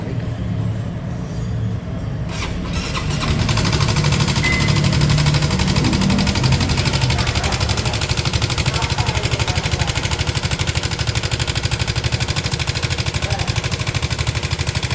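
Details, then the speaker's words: Honda CB150 motorcycle brought in for very loud noise: engine catches and settles into a loud, busy clatter with fast uneven ticking; severe internal mechanical noise, source not yet found; linked to worn clutch plates. "Waduh, ini mah parah banget, cok. Ini mah parah banget, Guys, suaranya, Guys."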